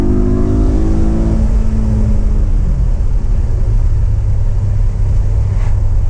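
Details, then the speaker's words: BMW E92 M3 S65 V8 floored to 8,000 rpm after replacing the exhaust manifolds (headers) that had caused permanent limp mode since a track day: clean rising howl winding out hard, then road and wind roar; strong healthy pull after repair. "All right, quick UE. No one around, no harm done. Foot to the floor. 8,000 RPM."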